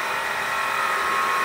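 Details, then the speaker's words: Grundfos JPF/JDF semi-jet water pump, about 400 W, installed nearly 20 years ago: loud steady whirring with rough high-pitched whine, worn motor bearings; to be dismantled and bearings replaced. "pasang hampir 20 tahun yang lalu dan sekarang suaranya keras sekali ini akan saya bongkar untuk mengganti wafernya"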